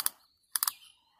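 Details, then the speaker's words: Sand-caked, corroded Abu Garcia 7000 i C3 baitcasting reel before teardown and cleaning: a single sharp click then a quick run of three crisp clicks; clicker engaging properly. "click it works a nice clicker on it"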